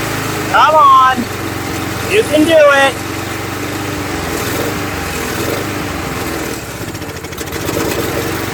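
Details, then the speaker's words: Murray mower, Tecumseh engine replaced by Briggs, after priming: small engine revs up and sags twice in a few seconds, never settling; owner suspects not enough fuel, plans another carb cleaning. "it. So, not getting enough fuel. We'll have to adjust the car, I guess. Well, not adjust it. We'll have to give it another cleaning."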